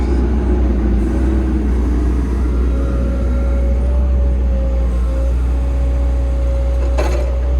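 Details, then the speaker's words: Diesel machine after fuel filter replacement, revved with hydraulics stalled (boom up): steady deep drone with even tone, no knocks or hunting; rail pressure looks good, healthy under load. "We'll rev it up and stall the hydraulics out now."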